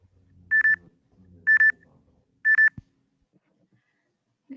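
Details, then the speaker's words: Electric transportation pedestrian proximity warning: three evenly spaced double chirps near 2 kHz, about one a second, the medium-fast alarm of stage 2 at 9 m distance (stage 3 at 6 m beeps faster). "들으신 것처럼 거리가 9m인 2단계에서는 중간 빠르게 경보음이 발생하며 거리가 더 가까워져 안전에 위협이 될 수 있는 6m 거리인 3단계에서는 상대적으로 빠른 속도의 경보음이 발생하도록 하였습니다."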